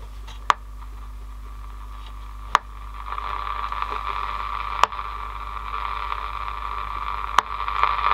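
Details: 1963 AWA B31 transistor radio under repair: steady hiss that slowly rises with a sharp click every two to three seconds; very noisy, poor reception, possibly from the amp or old transistors, not confirmed.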